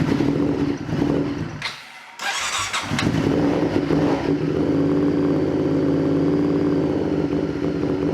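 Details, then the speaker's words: Honda VTR Firestorm V-twin during carburettor setup: catches after a hesitant start and settles into a lumpy, uneven idle. Vacuum shows up on the front cylinder but not the rear, and it smells rich; carbs are unbalanced and the rear cylinder isn't firing properly. "we've got these two should be equal as you can see the front cylinders got vacuum but yeah really didn't so smart yeah that basically you can smell is rich"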